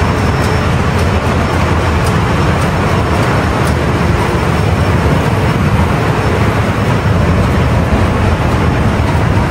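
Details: Ship main marine diesel run during departure preparation, after confirming no water and closing test cocks, ahead/astern testing; deep steady low rumble with even unbroken beat, listening to engine and turbo, no knocks or whine; normal running.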